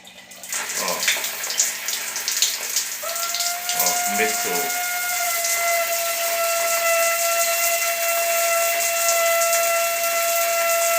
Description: O chuveiro estava fazendo barulho. A borracha do registro do estava como defeito desgata